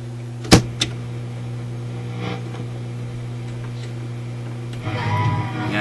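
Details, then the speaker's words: Yugoslavian-built Florida AM/FM/SW tube radio on FM; steady low mains hum with a click near start continues at zero volume, volume control won't turn sound down; hum and volume fault thought related: hum with faulty volume control. "that's that's zero volume look at the hum and the volume is a related thing"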